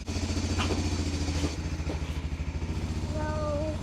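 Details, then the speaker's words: Four-wheeler in North Idaho winter, just fixed: starts first crank and idles with an even, steady low putter of regular firing pulses, no knocks or misses; running cleanly. "Did you guys hear that? It started first crank."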